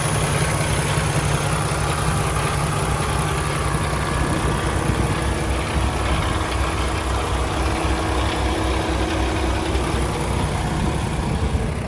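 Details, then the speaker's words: 2016 Peterbilt 579, Paccar MX13 455 hp, Eaton automatic, warm idle under open hood: steady even low diesel rumble with no knocks, ticks or hunting, no smoke or blow-by; healthy idle. "It appears to be running excellent. No unusual noises, no smoke out of the tailpipe, no blow by coming out of the oil filler cap. Everything appears to be good."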